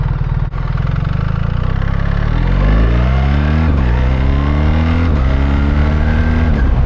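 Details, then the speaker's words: 2024 BMW R1300 GS with the ASA automated gearbox in manual mode, the rider shifting by button from third gear under acceleration. Pitch climbs, dips briefly at each shift and pulls again, seamless with no gearbox clunk. "oh yeah that was just absolutely seamless that was me changing the gears with my thought and there's no because it's a switch I say there's no clunkiness there it literally is just the lightest of TAPS"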